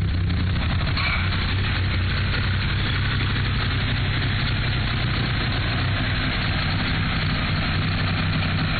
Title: Evo III rough idle. Bent valves?